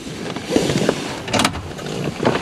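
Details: GM vehicle (Chevrolet Equinox type) with ignition on, irregular clicks and buzzy bursts from under the dash near the pedals when switching the A/C from cold to hot; mechanic believes the actuator is damaged: faulty blend door actuator clicking.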